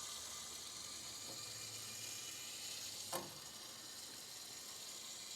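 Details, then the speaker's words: Hot water pipe with a hole under the concrete slab to a guest bathroom, water on: faint steady hiss under the floor with one soft knock, no motor noise; water then seeps up from under the slab toward the kitchen. "I get it okay I can hear it going it's got some knocking sounds of some sort but slightly yeah"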